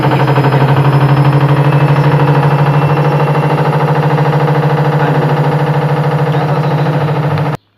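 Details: Samsung front-load washing machine on high-speed spin, before repair: heavy, loud, relentless rhythmic thumping about three times a second with the drum wobbling, caused by a cracked drum spider arm; fix is replacing the spider arm.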